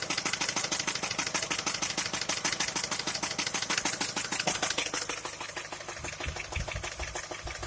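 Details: Skoda A5 (Octavia) 1.6 MPI at idle, owner asking what the problem is: a sharp, regular, evenly spaced ticking knock, about three per second, over a quiet idle. Engine knock, cause unknown.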